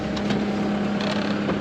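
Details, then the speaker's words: Caterpillar 299 compact track loader diesel idling after fuel pump replacement: even, steady low hum with no misses or stumbles, some wind; running clean, voltage recovering toward 14.4. "Beautiful. Running great. Just Andy voltage making its way back up to 14.4 hopefully 0.1 2.1 I guess that's okay. But she sounds"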